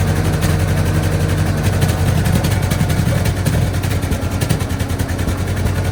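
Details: Tractor engine at idle with ignition timing off: rough uneven idle, spitting and sputtering about once a second; distributor to be turned slightly to improve idle.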